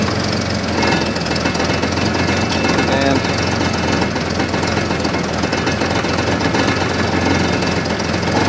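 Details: Old Jeep with a nearly dead battery, just started from a portable jump-starter pack: running steadily with a busy, even clatter and no stumbling; keeps running fine.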